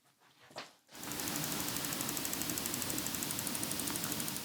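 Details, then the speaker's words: PC that will not power on, tested with a different working Core i5 CPU after straightening board pins: steady train of soft pops about three a second; board appears bricked, cause uncertain. "I still hear the popping."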